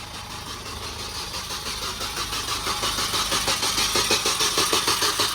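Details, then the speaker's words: Supercharged Mini R53, first start attempt after engine reinstall: starter churns steadily about three turns a second, slightly slow, engine never fires; fuel pump heard priming, battery light on; crank no start, cause not yet found. "What? No, it just doesn't sound like it's trying to go. Can you hear the pump start? I can hear it go."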